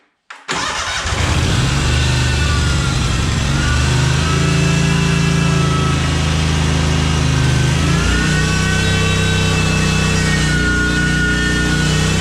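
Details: Cub Cadet 1864 lawn tractor, Kohler Command 18 engine, after fuel system cleaning and repair. Started on full choke with a little throttle, it cranks briefly, catches cleanly and settles into a steady even run. The fix worked.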